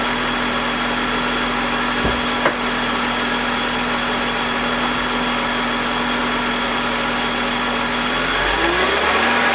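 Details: BMW E46 with M52TUB25 engine at idle, VANOS disconnected while testing a suspected VANOS grinding noise (worse at startup): smooth, steady hum with no grinding or rattle and steady RPM until a light blip near the end, a normal idle.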